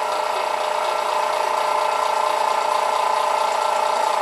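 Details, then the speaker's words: Airbrush compressor set at 1.5 bar (20 psi), the noisier one of two compared: a loud, steady rattling hum with a fast, even tick about twice a second and no knock. It is slow to reach pressure; running normally. "Okay, I have both these set up at 1.5 bar or 20 pounds. So this is what it sounds. Everyone knows what this one sounds like."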